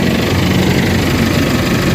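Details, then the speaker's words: Isuzu MU-X diesel idles with a rough, rattly rumble from under the engine; the noise disappears when the clutch pedal is pressed. "Aapakan ko yung clutch. O nawawala yung tunog. Apak matahimik. So yan ang ano problema."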